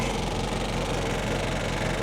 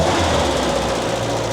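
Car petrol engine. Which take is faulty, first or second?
first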